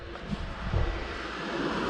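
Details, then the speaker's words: 1978 Chevy El Camino with R12-to-R134a converted A/C: newly added DC pusher condenser fan spins up after several clicks with a steady whoosh of air and no rattle or scrape; fan running cleanly. "So I heard various clicks and the fan's running. It is pulling, I verified here."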